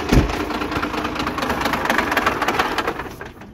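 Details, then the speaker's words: 12-valve diesel swap after P7100 injection pump repair, restarted to check throttle: uneven clatter at idle for about three seconds, then fades and dies as if fuel-starved; owner suspects the pump or running out of fuel. Engine stalling. "yeah i think definitely need to work a little bit on that pump because i think that's what happened there because we have the fuel on so that ran out of fuel one or the other"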